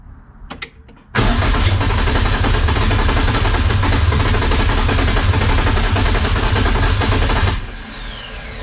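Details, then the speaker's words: Nissan 240SX: long steady cranking about three and a half beats a second with uneven partial catches that never pick up; cranks but won't start. "it's trying you guys can hear it it wants to it wants to start so i guess since the car didn't start"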